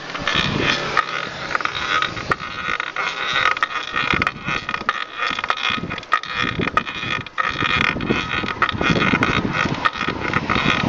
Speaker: it's whenever I put weight on even pedal and it's a constant squeaky noise